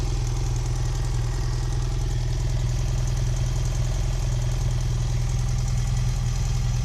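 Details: 2010 BMW F800GS, engine hot: the twin idles with a heavy, regular low thump about three times a second over the exhaust; abnormal noise when hot, owner suspects valves or piston, source unclear.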